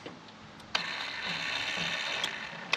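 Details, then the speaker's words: Brand-new longer-throw linear actuator of the same brand as the Walker zero-turn mower implement-mount unit: thin high electric whir with sharp clicks every second or two as the motor ratchets at end of travel; ball screw sounds good. "that's what end of travel looks like though you're probably not gonna be able to"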